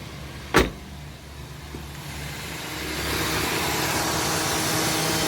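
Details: Toyota Corolla Altis radiator fan after repair, engine idling with AC on; click then steady rising rush of air as fan spins up, smooth with no rubbing or rattle, pulling air correctly.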